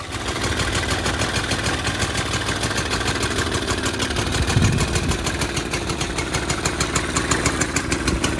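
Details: 1921 ATCO Standard lawnmower, almost 100 years old, running on Castrol R vegetable oil mixed 16 to 1: crisp, regular single-cylinder firing beat, steady with no misses or knocks; runs perfectly.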